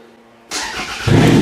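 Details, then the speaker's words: Demolition-derby car just fitted with a thick starter hot-wire run inside the car: brief crank, then the engine catches and settles into a firm, even run within a second; normal start. "Okay, so the car is now running."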